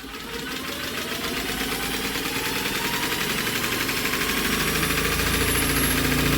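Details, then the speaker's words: JAP 2A engine from a WW2 generator set, mid-rebuild, still awaiting piston, rings and head gasket, turned over during a spark test: even, quickening pulse with no growl; the earlier bearing noise is gone. "And don't that sound better? We've got no horrible bearing noise now."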